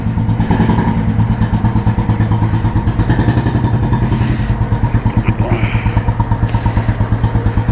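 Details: 1986 Royal Enfield Bullet restored, heavy-crank engine with Indore silencer and 3-plate clutch, just started: steady, deep, even single-cylinder thump at relaxed idle, no knock or miss; healthy normal exhaust note.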